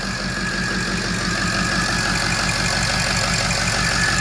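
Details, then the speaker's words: 2006 Ford F550 with 6.0 diesel, low kilometres, turbo pipes off so exhaust blows open, good fuel pressure: loud idle with an uneven, lumpy skipping beat; one cylinder misfiring. "you can hear that it's missing obviously we're just don't have the turbo pipes on so we're just blowing it out there"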